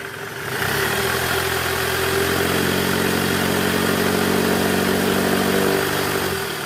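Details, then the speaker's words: 2008 Toyota Camry 2.4 V, 2AZ-FE engine, in R at about 1200 rpm: steady engine note with a low rough growl from the belt tensioner, whose spring is weak; also worse under load, fixed by replacing the tensioner. "bunyinya krok itu dari Tensioner Jadi pegasnya udah lemah"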